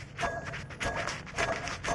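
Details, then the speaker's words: Porsche 986 Boxster, belt off, pulleys spun by hand: rough, rasping whir with a faint ringing tone, surging about twice a second, from a worn water pump pulley bearing; water pump pulley to be replaced. "That's a water pump noise. So the water pump pulley is gone, so I've got to replace that."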